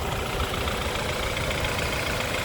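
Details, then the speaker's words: 2013 BMW 528i xDrive, 2.0-liter turbocharged four-cylinder, engine bay, warmed up. A steady, even idle hum with no misses, knocks or ticks: idling perfectly. "As you can see, the engine looking very nice and idling perfectly."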